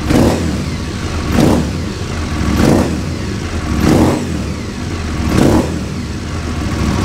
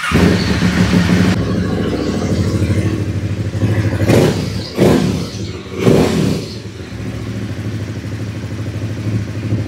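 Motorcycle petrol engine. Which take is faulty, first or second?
first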